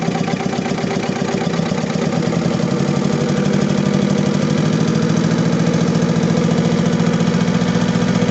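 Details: Diesel engine with low power, black smoke and engine vibration, fuel system needing repair: uneven stumbling idle, lumpy shake two to three times a second; misfiring.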